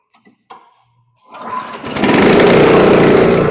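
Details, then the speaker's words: 26-year-old 1999 Honda snow blower being revived after a spark check: fuel on, choke pulled, starter grip pulled. A short rope pull, then the engine catches and settles into a steady, even buzz on choke. "Pull choke. All right. There we go. Turn engine switch to on. Okay. Pull starter grip"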